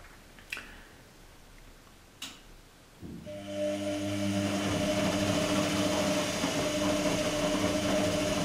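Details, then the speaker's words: Electrolux-Rex RWP 1273 washing machine in a 60° wash, running over an hour: two clicks then the brushed universal motor spins up with steady hum and soft even brush hiss, completely normal. "spazzole inizia non può farsi sentire normalissimo assolutamente normale"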